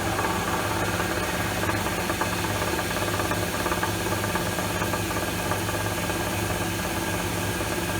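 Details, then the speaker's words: Lathe turning a taper: loose, irregular rattle about twice a second over the steady machine drone, continuing while cutting. A pulley loose on its shaft is suspected, not confirmed. "That rattle's bugging me now. Sounds like a pulley's loose on the shaft."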